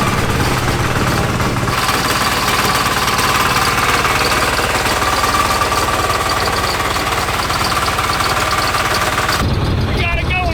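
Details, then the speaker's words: Homemade inline three-cylinder diesel swapped into a Baja Beetle, first road test under way: loud, rough, lumpy beat that never settles evenly. "It sounds so unhappy. Yeah. And uh it's so loud."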